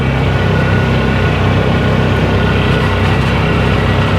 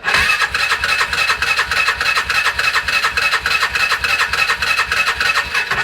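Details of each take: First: 2011 Polaris Ranger 500 single after full engine rebuild, driving gently during break-in at about 3900 rpm; steady, even drone with no knocks, ticks or rattles, motor absolutely quiet and healthy. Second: 2011 Polaris Ranger 500 EFI after a full engine rebuild, first start attempt with fuel pump hooked up and spark plugs in: fast, even starter cranking at about three and a half beats per second, never catching; cranks but won't fire.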